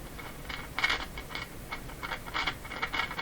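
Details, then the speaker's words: RCA Victor BP-10A portable tube radio: quiet, irregular bursts of crackly static coming and going; owner suspects a short intermittently making contact at the A battery connection. "so I'm watching the current flow here you want it to put this back is it is that staticky from the short coming and going on the battery connection"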